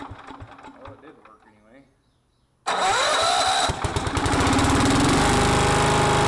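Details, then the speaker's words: Miller Bluestar welder engine that sat five years, after cleaning the gummed-up carburettor including the low idle jet: cranks, catches and settles into a steady even run with no misses or knocks; normal running. "so we had to go back and reclaim the carburetor and till now it works again let me crank it up and we'll show you"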